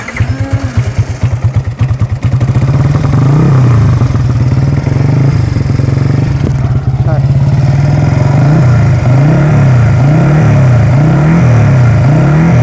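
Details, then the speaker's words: Yamaha R15 V3 engine at start and idle: a fast, light cricket-like tick rides over the exhaust note, caused by rocker arms worn from poor oil supply at startup. "Ya jadi suaranya kayak gitu, kayak trik tik tik tik tik tik tik tik tik tik. Nah itu kayak ya orang bilangnya suara kayak jangkrik sih, kayak suara jangkrik gitu. Tapi itu sebenarnya adalah suara rocker arm."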